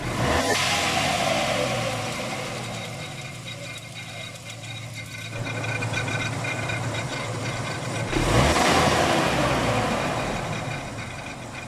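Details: 1995 Ford Ranger 2.3 petrol engine revs and settles while a rough grinding rasp runs beneath it throughout.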